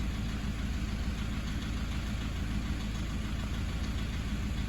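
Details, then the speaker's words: 2009 Toyota Hilux 1KD-FTV D4D diesel, low kilometres, injectors replaced at 180k about 5 years ago, idling with a fast background tap-tap-tap, not normal; owner suspects bad fuel or contamination: injector tapping at idle. "hear that background tapping at idle tap tap tap tap tap in the background that is not normal"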